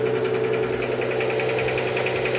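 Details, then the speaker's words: Nissan R33 Skyline petrol engine cold idle after start with a quick, light, regular tick from a hydraulic lifter, present for years and going away when warm. "that knocking doors that you can hear don't be worried um it's done for years it's a hydraulic lifter it goes away when it warms up"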